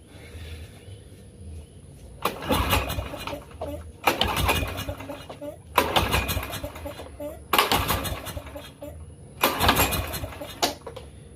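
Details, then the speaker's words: Craftsman 6.5 hp push mower with Briggs and Stratton engine, curb find, spark tester fitted: five recoil pulls about two seconds apart, each brief crank never firing; no spark. Later found low compression, bad carburetor, ignition coil and valves. "still ain't sparking and starting. So, something is a miss here."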